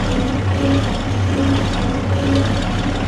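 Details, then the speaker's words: 1969 Oliver 1650 backhoe diesel after replacing torn-diaphragm mechanical fuel pump (fuel was leaking into crankcase) with electric pump, idling about 1000 rpm past 40 minutes, oil pressure good: deep steady smooth idle, no knocks or rattles; normal. "okay we are just past the 40 minute mark of idling here we got it at about a thousand rpm oil pressure still looks good"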